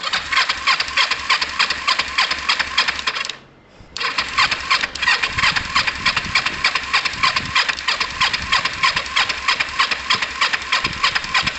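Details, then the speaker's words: Motorcycle cold start with fuel on, ignition on, choke on, side stand up; steady even cranking at about three beats a second, a pause, then cranking again: turning over on choke. "switch the fuel on and turn it over a couple of times fuel is on ignition is on choke is on"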